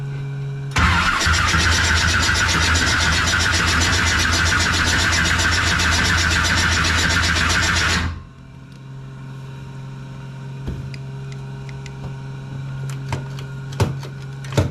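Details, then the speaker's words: Pro street 1969 Camaro during carb rebuild and tuning: rough engine run cuts off, leaving the electric fuel pump's steady low whir with faint ticks; headers very hot, timing suspected very retarded. "What's that noise, honey? The fuel pump."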